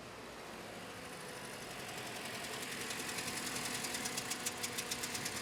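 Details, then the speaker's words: Toyota Scion misfire after many parts replaced: uneven idle with ticking beat near 3.5 per second; compression test shows 50 psi on cylinder 3 versus 125 on cylinder 2, engine shot, low compression causing the misfire, likely head gasket. "I've got 50 psi on compression on cylinder 3 125 on cylinder 2 that's where our misfire is at"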